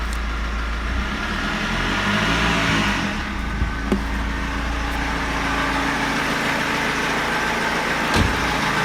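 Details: BMW E46 320d diesel idling with a light, uneven knock about three per second after timing chain replacement, slightly improved; owner unsure whether crankshaft, rod bearing or hydraulic lifter.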